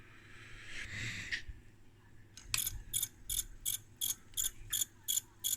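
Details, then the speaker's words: Brüel & Kjær WA 0155 balancing demo unit with elastic-band belt: small motor whirs in short even bursts, roughly three a second, as the speed regulation pulses the motor; normal. "and now look at that this is the motor regulation lamp so so I guess the regulation system actually pulses the motor"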